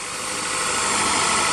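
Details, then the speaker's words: 1999 Honda Accord idling after starting following about four years sitting: steady, even idle with smooth hiss, no misses, knocks or ticks; sounds okay, no smoke. "let's be honest here at the Honda they don't really die um let's do a little walk around here take a look it sounds okay"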